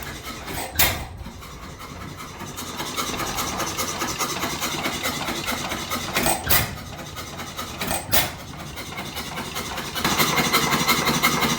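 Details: 100+ year old single-cylinder hit-and-miss oil-field engine, abandoned for years, fully torn down and rebuilt: widely spaced power bangs with coasting between, roughly every couple of seconds; normal hit-and-miss running.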